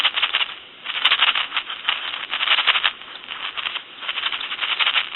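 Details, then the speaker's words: Touch-tone brass Majesty telephone handset being shaken during checkout: bursts of hissy rushing static crackle with each shake from the old carbon T1 transmitter, to be replaced; noisy carbon transmitter. "these are very noisy is basically what I'm trying to show you and we're just going to get rid of that all together"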